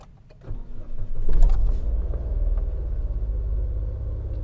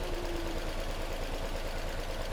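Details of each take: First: Nissan Almera after fixing stumbling, poor acceleration and warning light: brief crank then smooth steady idle, no stumbling; engine still cold so idle slightly high; auto light gone, engine light still on. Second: Nissan Almera with shaking, poor acceleration and check-engine light: low, slightly lumpy idle unchanged when the cylinder 2 coil is unplugged, showing that ignition coil has failed; to be replaced.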